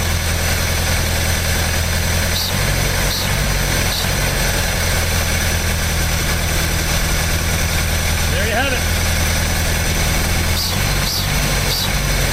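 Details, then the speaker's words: Old "800" truck newly revived after distributor retiming, with fuel pump hooked up and a carb possibly leaking between horn and base: steady, low, even idle with a few light catches as it settles after wanting to die. Normal idle. "That's not too bad, either. All right. I don't know why she wanted to die, but I'm going to take that as a good start."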